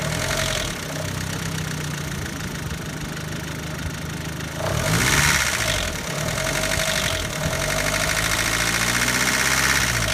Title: B6 2.0L Stroker ticking noise #2 (few engine revs)